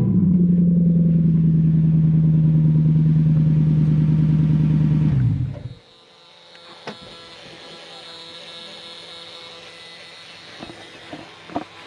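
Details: Lexus LS430 V8 test car with a cut-off exhaust, test-running a reflashed, immobilizer-deleted ECU with improved throttle response: a deep, loud, steady rumble with a few blips, then shutoff, open and unmuffled.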